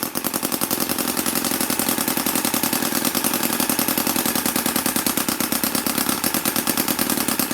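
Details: MUSA Hoglet V2 model motorcycle engine, cold start after a couple of days idle, with a quick choke at about quarter throttle: rapid, crisp popping beat firing evenly at steady speed with no misses or stumbles; runs healthy.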